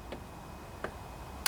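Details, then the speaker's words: Kohler Courage 18 single-cylinder riding mower engine, key turned to first (accessory) position before starting: sharp single clicks in a quiet room as the fuel shutoff solenoid pulls in, tested during carburetor rebuild for gas leaking into oil; solenoid working. "That's that solenoid turning on when you turn the key to the on position. So, that's a good way to test that solenoid."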